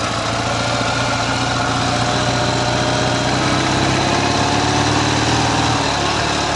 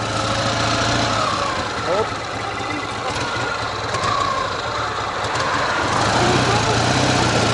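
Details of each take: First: Ural motorcycle with sidecar boxer twin, cold engine idling: steady, even beat on the right cylinder with no knock or tap, healthy; the left cylinder knocks under load, cause unknown. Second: Ural boxer-twin motorcycle with sidecar, engine cold: faint, fairly regular knock about four per second appearing under load, from the left cylinder while the right is clean; cause unknown.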